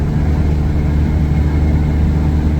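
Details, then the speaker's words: Vehicle after replacing failed main fuel pump (old one gave only 20 psi; now 45–50 psi at idle): freeway cruise about 80 mph at half throttle, steady even low drone, no surging or cutting out; running normally. "doing about 80 miles an hour. It's holding pretty good."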